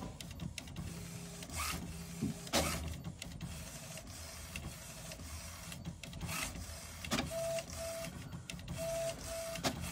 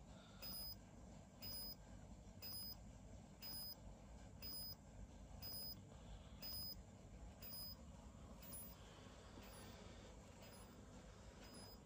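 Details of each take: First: HP Smart Tank 500/516 after air in ink pipes and blank prints: quiet whirring feed motor, short carriage sweeps, clicks and brief tones as it prints the alignment page and charges the heads, purging air; takes about 25 minutes. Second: HP Smart Tank 500/516 printer with air deliberately introduced into ink pipes, running head ink charging: faint, evenly spaced high chirps about once a second over a soft low hum as ink primes through the tubes.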